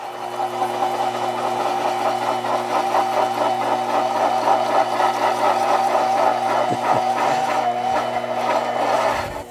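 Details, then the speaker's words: Metal lathe facing cut at 10 thousandths depth, pulleys on high-speed setting but low spindle speed: steady motor hum under fast gritty buzzing chatter, motor bogging slightly; tool chatter. "is chatter, and I did bog the motor down a little bit."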